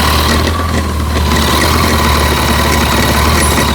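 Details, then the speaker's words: Kawasaki ZZR1400, about 28,900 km, idling with the clutch lever pulled: dense metallic clatter from the clutch side of the engine, much louder when the clutch is pulled; loose clutch release bearing stopper. "see that it's quite visible the Ratt sound inside the engine when you pull the clutch it's really huge"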